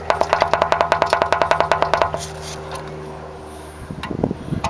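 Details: Subaru 2.5 engine with 208k miles, removed and torn down after replacement: rapid hollow clack, about eight a second, as the driver's-side rear piston is rocked by hand on a worn connecting rod bearing; silent when held.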